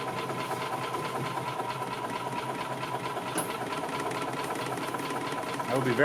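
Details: 2000 Yamaha G16 gas golf cart, just restarted after sitting since 2013 on old fuel of unknown age: single-cylinder engine chugs at a fast idle with a slightly uneven tick; running after long storage.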